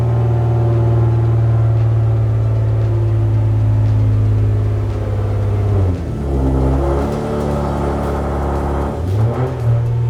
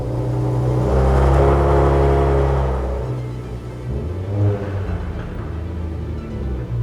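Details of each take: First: Infiniti G37 pulling away after axle replacement, fixing a clunk and no drive after a hard first-gear launch: engine rumble rises and falls with no clunks, grinding or whine from the rear; normal driveline operation. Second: Nissan G37 manual after a failed drag race on racing tires: engine revs in first gear, car barely creeps with rough clunking from the rear; clutch and gearbox feel normal, found to be a broken rear axle.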